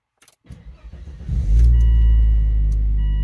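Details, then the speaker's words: 2002 Volvo V70 2.4T after cleaning the throttle body (ETM) and sensors following limp mode with P0068/P0221: quick crank, catches at once and settles into a smooth, steady idle with no stumble; normal start. "Oh my God! It's actually working! Tailgate open. It actually sounds perfect. It actually sounds better than it did today."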